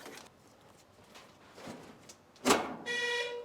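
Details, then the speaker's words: Reverse selected with the key on in a 1954 Ford F600 cab on a 1995 Toyota Coaster bus chassis: after a door clunk, the bus's reverse beeper sounds a steady mid-pitched electronic tone, confirming the beeper and the shifter linkage work. "If I can put it into reverse with the key on, let's see if A, the beeper works, and B, if I've got the linkages all around the right way."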